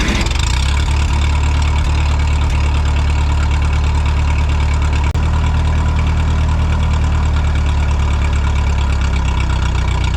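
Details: Vintage Ferguson tractor ("Fergie") driving a restored Automatic Equipment tractor-mounted mister/fogger with a new nozzle through the PTO: deep, steady drone, even rhythm, no knocks; the load is heavier than expected, belts flop slightly, but it spins fine. Normal running under load.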